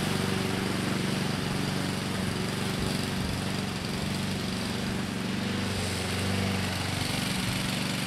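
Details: 2014 Husqvarna HU700F self-propelled push mower, Honda GCV160 engine, after a carb clean: holds a steady, even speed without surging or hunting; runs normally.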